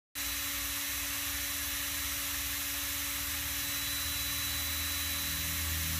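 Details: Fairly new SunnySky X2204S brushless motor spinning at a steady high whine with a gritty, rough hiss and low buzz. It vibrated and had vertical play; the cause was a gap between the plastic washer and c-clip, not worn bearings, and was fixed by reseating the shaft.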